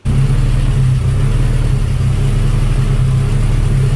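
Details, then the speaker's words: Car with newly fitted replacement engine, previously only 7 V on cranking: with the battery switch bypassed it starts straight away and idles deep and steady with no misses, knocks or surging; faulty battery switch possibly behind the electrical gremlins. "so today i bypassed the battery switch and the car started straight away"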